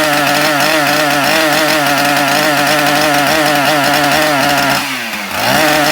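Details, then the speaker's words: Husqvarna 372XP chainsaw starts and idles but cuts out when revved; held at high revs it drops out for half a second and catches again. Owner believes the ignition module/coil is failing; later replaced it. "this has a running problem so it starts up it idles but it cuts out when you rev it up so you can hear it just kind of cutting out and i believe that the problem with this is the ignition module for a coil whatever you want to call it"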